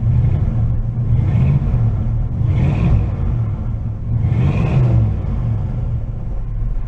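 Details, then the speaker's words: 1986 Oldsmobile Cutlass Supreme Brougham with a carburetor, running after sitting 5 years. A deep V8 rumble surges and sags unevenly: a rough, stuttering idle that smooths out when revved. The owner suspects old gas, not confirmed. "it a little rumbly it's stuttering quite a bit"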